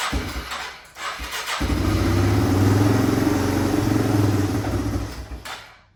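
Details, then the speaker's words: 1997 Yamaha Timberwolf 250 ATV, first start after repair, on jump pack: catches after a couple of tries, then idles unevenly, thumping rising and sagging before dying. Rough idle; owner thinks fuel mixture and idle screws need adjusting. "So, as you can tell, the bike is running now. Um the idle seems to be a little iffy. We need to play with probably the fuel mixture screw and that um idle screw as well."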